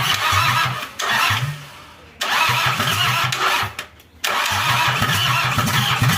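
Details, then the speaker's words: Toyota Kijang 2L diesel just rebuilt after burning oil, injection pump timing at the zero/standard mark, started after glow-plug heating: cranks in several bursts, stumbles, then catches into a rough run. Hard starting, attributed to the fresh overhaul. "oke udah hidup ya Lur tapi untuk hidup awalnya itu susah karena Emang mesinnya baru overhaul"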